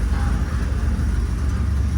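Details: 1966 Chevy C10 with 383 stroker roller V8, first start after three and a half years sitting, exhaust not fully bolted up; deep loud even lopey idle with no ticks or knocks; normal idle.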